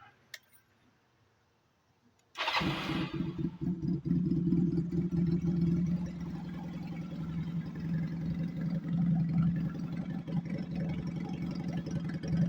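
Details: 1992 Honda Nighthawk 250 converted to dual sport, with stock jetting, airbox and air filter: quiet, then a sharp catch, and the small single settles into a steady, even low idle thump. It starts and runs cleanly.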